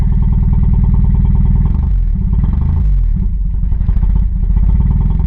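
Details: 1986 Chevrolet Chevette with unreliable starting: uneven, lumpy idle with a hard diesel-like clattering knock, dipping when put in gear with a little gas; running rough and unhappy.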